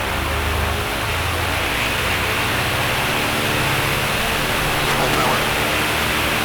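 Steady even drone at high power with a deep prop beat and lots of wind rush; no shake or pulsing, runs smooth.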